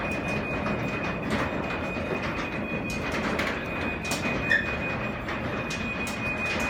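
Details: New Craftsman belt-drive garage door opener, installed the day before, closing the door: smooth steady drone with faint constant whine, no grinding or banging; normal operation.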